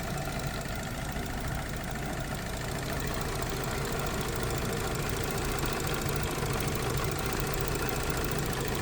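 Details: 2013 Audi Q7 3.0T supercharged with misfire and oil-coolant mixing, steaming from the engine valley during testing; uneven lumpy idle with irregular stumbles over a steady drone, misfire at idle, cause not pinned down.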